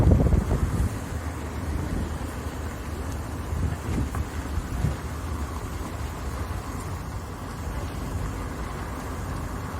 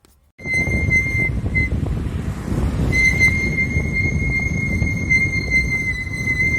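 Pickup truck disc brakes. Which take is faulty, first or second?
second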